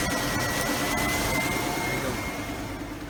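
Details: Car starter with worn brushes, started by bridging the starter solenoid posts in the engine bay while knocking on the starter: steady fast whirr pulsing about three times a second as the engine catches and runs.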